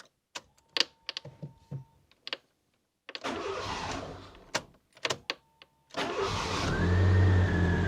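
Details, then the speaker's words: Fiat Panda 4x4 starting after damaged wires were found and reconnected. A few clicks and a short crank, then it catches and settles into a steady, slightly rising idle. The warning light is gone. The idle is not perfect yet; the owner thinks the ECU is still learning. "It starts, and there is no longer any warning light. And it's not idling perfectly, but I think the ECU is still learning, and it's a lot better."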